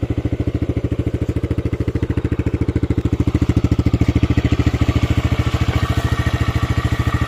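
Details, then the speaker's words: TVS Raider 125 single-cylinder motorcycle: even, steady low idle thump with regular full firing pulses and no ticking or rattle, compared against a new bike; normal idle. "तो इसका sound में वही है थोड़ा पतला पतला वाला फील लाता है जैसे वो नया बाइक में होता है ना"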